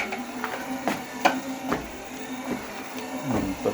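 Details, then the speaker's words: Torneo Inita T-150 treadmill at 4 km/h, deck squeak with each left footfall, right foot silent; owner suspected the deck, fixed by tightening deck screws after peeling off glued trim; creaky clacks over steady motor hum. "Четыре километра в час то же самое абсолютно на правый правая нога наступает тишина левая нога характерный скрипт"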